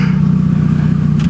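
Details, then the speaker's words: Mini running on an open downpipe with the old exhaust removed, no silencer: a loud, deep, raw drone with a rough, chattering burble. Sounded good at idle but horrendous once revved. "But, I mean, it sounded good on idle. It did. As soon as it revved, it it. sounded horrendous."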